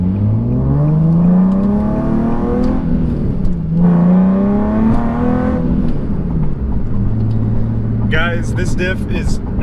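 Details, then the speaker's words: Nissan 370Z after replacing the noisy Tomy clutch-type diff with a Quaife diff, driving: revs climb smoothly through the gears with no whine, rattle, clunk or clutch-pack noise from the rear; differential healthy. "I've noticed now that there is of course no differential noise whatsoever I can't hear anything coming from that diff I don't hear the clutch packs rattling around like I got with the Tomy diff"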